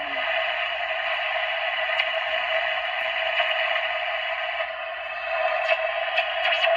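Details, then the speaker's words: 1962 Bulova travel alarm transistor radio with Citizen watch on 4.5 V power, after replacing one capacitor with more to follow: steady, clear radio hiss and tone at good volume from the small speaker, much more audio than before. "Okay, we replaced that 1 cap down here. We've got a lot more audio."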